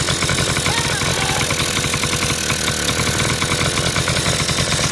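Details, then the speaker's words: 1980 Honda Express scooter after its clogged, filterless carburetor was cleaned: a small two-stroke buzzing at a high, steady speed that never drops back to idle; runaway idle, with an air leak or the idle circuit suspected. "need to dial we've got kind of a runaway idle situation i don't know if there's an air leak or something but i'm digging into that now"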